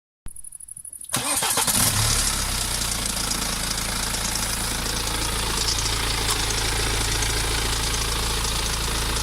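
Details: BMW E87 118d, N47D20 diesel, 143 hp, 2008: cranks, fires and settles into idle with a busy metallic rattle over the engine note; suspected timing chain rattle, not confirmed.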